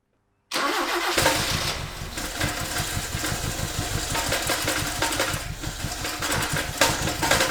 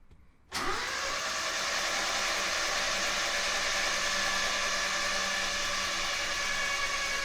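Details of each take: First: 1976 RA23 Toyota Celica, rebuilt engine stored for years, first cold runs on its own fuel system: it catches and runs lumpy and uneven with missing pulses before shutoff; misfire from plug leads in the wrong firing order, possibly running on 2 or 3 cylinders. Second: 1976 RA23 Toyota Celica engine, rebuilt then stored for years, cranked with the plugs out to build oil pressure: it spins freely at an even, quick pace (about 3.5 turns a second) with no binding; the oil light goes off, so cranking is healthy.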